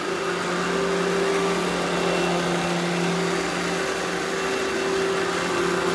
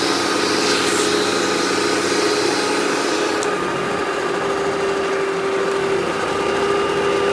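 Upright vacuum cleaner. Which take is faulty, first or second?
second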